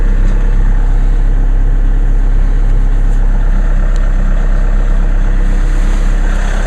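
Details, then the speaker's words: Diesel car cold start in sleet after sitting since Saturday, one glow plug cycle: started with no problem, then a steady, even low idle with regular clatter and constant fan hiss; normal cold idle. "it's been sitting since saturday here we go and started up in no problem"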